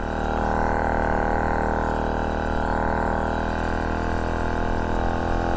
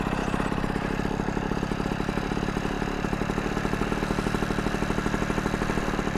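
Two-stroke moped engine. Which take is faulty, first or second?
first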